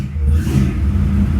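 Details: Freshly built '55 Chevy, first fire after engine and transmission work: deep, steady V8 rumble with a slight rev, firing evenly with no knocks or misses; normal running.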